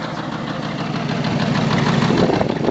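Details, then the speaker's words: 1984 Toyota Land Cruiser FJ60 engine, which the previous owner coasted downhill and then put in gear going up the next hill. It starts right up with a rough, lumpy idle, what may be a dull knock toward the rear, heavy smoke and oil seeping possibly near cylinders 5 and 6. Owner suspects a blown piston or thrown rod. "so it starts right up sounds awesome you can hear uh what i think is a knock in the back and you can see the smoke is already pouring out"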